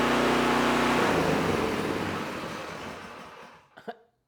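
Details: Predator single-cylinder small engine with an HFS remote start module, after a carburetor cleaning to cure starting only on choke: runs smooth and even at steady speed, then winds down and stops cleanly; healthy.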